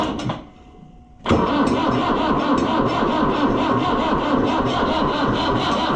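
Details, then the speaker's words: Oliver 1365 (Fiat 640) diesel tractor at 12.2 V on a jump pack that is not keeping up, after fuel filter work left air in the fuel: the starter turns steadily but the engine never fires. Crank, no start. "I think we're going to have to charge our jump pack cuz it just ain't participating."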